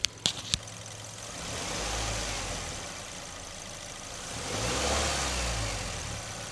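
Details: Mazda 2 1.5 L petrol TS2 idling while the MAF and intake air temperature sensor signal wires are back-probed with a voltmeter. Light clicks, then an even idle with a gentle swell and no misfire.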